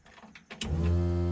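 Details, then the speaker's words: Ford Falcon with a 1UZ V8 swap at its first start attempt, key on in neutral: quiet click then a steady electric hum from the fuel pump priming; the tank turned out to be empty. "There's the fuel pump. Actually, you know what? There is no fuel in the tank."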